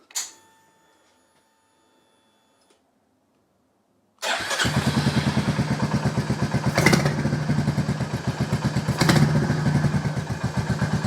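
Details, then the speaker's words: 2022 Royal Enfield Meteor 350 bobber build, start after fitting custom short de-catted exhaust with middle silencer deleted, valves done: deep steady single-cylinder thump, faint light valve tick audible over exhaust; healthy idle. "again top end is nice and quiet with its valves done as well just a very light ticking And the fact I can hear the valve lightly ticking over the exhaust tells you that it's not horrendously loud"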